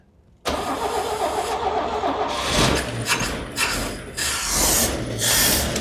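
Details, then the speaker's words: 1969 Chevy C10 carbureted engine: fires and runs rough with surging, sputtering bursts; carburetor spitting fuel everywhere at full pressure and flooding with choke on, needs rebuilding; runs rich, flooding. "Carburetor's spitting fuel out like everywhere. Carburetor needs to be taken apart. It was just shoving it right out of here. Full pressure. Just some light taps. And then obviously it's flooding because it's choke."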